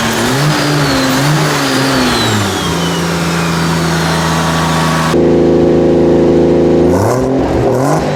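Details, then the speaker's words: 2JZ-swapped turbo Nissan 240SX: a smooth, steady engine note climbing and settling evenly with clean revs and no knocks or misses. Idle and revs are normal. "So I'm glad that this thing is actually running properly and how it should."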